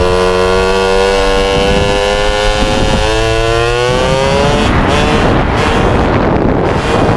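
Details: MBK 51 two-stroke moped after revival: buzzy revs rising and falling, uneven and burbly down low before clearing higher up, lacking top-end pull; owner feels it stumbles at low rpm, suspects mixture too lean or too rich, plans spark plug colour check.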